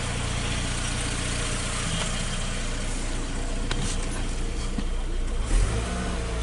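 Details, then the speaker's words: Rebuilt Saturn Ion engine after fixing a cylinder 4 misfire from a burnt head valve: steady even low rumble with no skips or knocks, rising slightly when revved; smooth; normal idle and revving. "start up another start it's pretty smooth"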